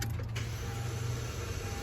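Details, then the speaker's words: Friend's Honda Civic cranking: a short, strained crank with a thin whine over a weak hum, and it never starts. Battery and alternator tested in spec, so the recently fitted replacement starter is suspected bad from the start. "There just might be a big possibility that unfortunately the starter that he got for the Civic might have just been bad to begin with, but that's it right there. Because when I try to start it, yeah, this is what it is."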